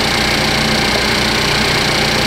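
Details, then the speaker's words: 2015 Cadillac ATS Luxury 2.5L RWD, junkyard used engine freshly swapped in, warming up at idle with AC compressor engaged and refrigerant being charged: steady even idle, no knocks, ticks or misses; engine sounds healthy. "A lot of times engines on the camera sound really, really terrible, and I agree with you. This one sounds good."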